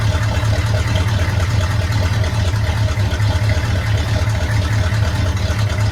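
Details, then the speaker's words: 1972 Chevy C10 small-block V8, warm engine, not a cold start, after valve covers were pulled: steady, even idle thump with no misses, knocks or hunting. Runs well; timing still needs fine-tuning. "so the engine is warm um it's not a it's not a cold start I'll just put that disclaimer out there"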